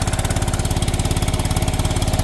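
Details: John Deere 314 garden tractor (possibly 1980s) with Kohler K321 single-cylinder engine, long unused: steady hollow, slightly uneven chuffing at about twenty beats a second with heavy smoke after fuel fix; low compression, owner suspects blown head gasket (oily head-block joint).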